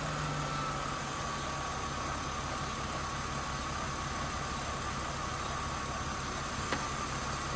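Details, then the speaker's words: Mercedes W204, after replacing the accessory belt tensioner to cure alternator belt squeal: steady, even idle, smooth low hum with no squeal or chirp; quiet belt drive after repair. "тихо сейчас"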